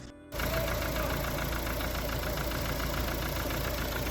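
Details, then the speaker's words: Customer says the car doesn't want to move and makes weird metallic noises: steady, rough idle with a rapid, regular metallic knocking at constant speed, engine knock. "Customer states the car doesn't want to move and has been making some weird metallic noises."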